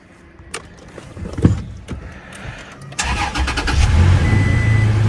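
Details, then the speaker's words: Salvage run-and-drive vehicle at Copart with deployed airbags and minor lower damage, radiator and AC condenser intact; start-up check. Quiet clunks, cranks and catches after about three seconds, settles to an even steady idle with no misses and no check engine light; normal start. "It is actually a run and drive, which makes sense. Start it up, see what it sounds like."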